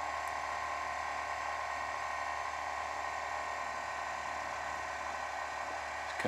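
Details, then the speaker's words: Abandoned Audi Q7 with suspected air suspension fault, ignition on: steady even electric buzz holding pitch, no rattle or strain; air suspension compressor pumping normally, car rising. "oh i heard a noise there we go it's doing something you're working well the pump's definitely working can hear it"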